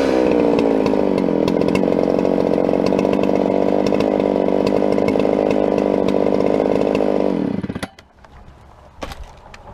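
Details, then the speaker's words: Modded Husqvarna 395XP chainsaw (Psy-Ko S zip kit plus torque tweak, only a couple heat cycles) cutting standing dead Ponderosa pine: high steady howl in the cut but flat and stuttery with occasional misses, then drops off, barely runs; carburettor too rich, missing under load. "i was pulling for about all i was worth coming up with that saw you can see as i came out of the cut it was a lot of pressure coming up i'm going with multiple seconds faster going up and down um and the thing barely runs"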